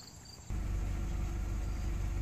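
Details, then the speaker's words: Car idling after all spark plugs were replaced with new Autolite 764 plugs at the correct gap; before, the idle nearly stalled: engine settles into a steady, even low idle with no stumbling, running a while without stalling. Normal idle. "it's been idling for a little while now it's at 7:50 and it's not stalling"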